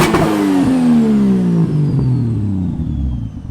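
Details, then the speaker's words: Turbo Toyota Supra on roughly eight psi boost, revved to the limiter: revs fall with a quick rushing release as the wastegate opens; wastegate opens normally, though quick rather than fast. "you hear that wastegate opening yeah it does open not too bad i think it's only on like eight pounds right now"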